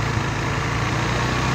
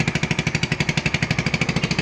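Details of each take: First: AXXO Viper 180cc scooter after replacing the exhaust gasket and retightening: smooth, even low putter at idle with no raspy blowing or rattle, only slightly louder when revved; exhaust quiet and healthy. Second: AXXO Viper 180cc scooter, revved: sharp puffing chuffs about three per second in step with firing, giving an excessive exhaust noise from gases escaping at the exhaust-to-head joint. Bolts are addressed; exhaust bolts should be checked every 1000 km.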